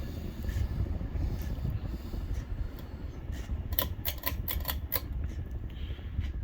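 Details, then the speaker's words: 1991 52-inch Davenport ceiling fan by Hallsey, stamped steel 153x15 motor, on high speed around 190-200 rpm: low motor hum with scattered dry ticks and rattles from the hub; bearings dry, needing grease. "you can hear them bearings this around a little bit they are definitely it needed some more grease"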